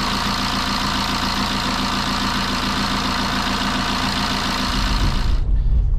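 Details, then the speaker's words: BMW 123d E81 N47 diesel idling after timing chain and tensioner replacement: steady even diesel clatter, no buzzing or chirping, cicada noise gone, no warning light; normal idle. "je reprends à nouveau tout va très très bien plus de voyant plus de problème plus de bruit de cigale plus de bruit de grésillements"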